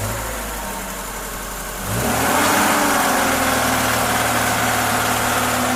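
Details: VAZ 2106 engine revving from idle up to mid rpm and holding there, with a steady rhythmic knock under the drone. The knock appears at mid rpm and its source is unknown.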